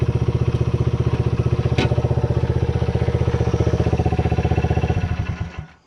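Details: Restored 1978 Honda XR75, last run around 1989, after a misset adjustment was corrected per the manual: an even, steady putter of the small single at about four beats a second, then fading off; normal running.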